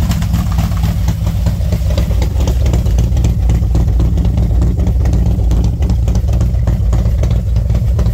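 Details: V-twin motorcycle with SS540 cam and valve springs, idling about 10 minutes warming up at 40°F outside: loud, lumpy deep loping idle with intake sucking, no tick; healthy.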